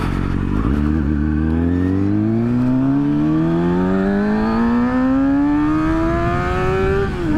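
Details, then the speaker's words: Rebuilt crashed 2012 Kawasaki ZX-6R (600), ride after the rebuild: clean, even rev climbing smoothly from idle to high revs without knocks, rattles or misses; a healthy engine. "Sounds good, feels good. Man, I love this thing. For a 600, this isn't bad at all."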